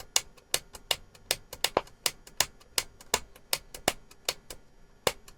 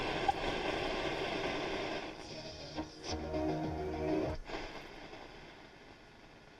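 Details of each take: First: Transistor radio after its volume control and band-switch buttons were worked: only irregular sharp clicks and crackles come through, a little over one a second, with no steady programme, as the radio cuts in and out. Cause not confirmed. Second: Transistor radio under logical fault-finding, still in its case with no components changed: music and voice from the signal generator come through clearly and steadily with no crackle or hum on long wave; normal reception.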